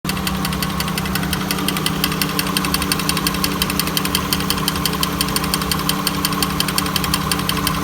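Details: 1999 Honda Accord idling with a rough, raspy grinding and a regular tick about twice a second.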